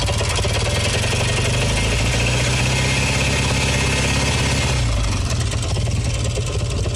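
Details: Kawasaki W1SA, tappets already adjusted: hard metallic ticking when throttle is blipped, silent on closing throttle and during deceleration; found to be light left-cylinder piston seizure and connecting rod to crank play.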